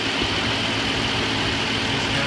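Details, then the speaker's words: 2005 Chrysler Town & Country/Dodge Grand Caravan after timing chain replacement, at idle: steady, even running with the rattle gone; faint belt chirp the van always had, cause unknown; normal idle. "the job is all done now I've got the engine running um I noticed we're not hearing that rattling sound anymore"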